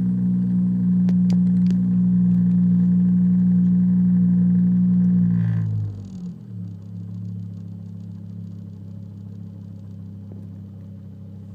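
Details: 2005 Volvo S40 T5 five-cylinder petrol engine: stumbles unevenly as revs increase, a random misfire with code P0300.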